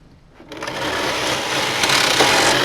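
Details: Brother electronic knitting machine (Knitking Computknit III) loading pattern 901 from a floppy drive, carriage on KC: a fast, even clatter of clicks and a light rasp as the carriage is pushed across, picking needles steadily; normal selection.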